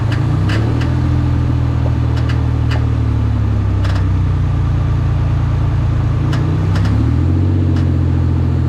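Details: Mendeola MD4S e-box transaxle: low engine drone with sharp irregular clacks from the gearbox; cause unknown.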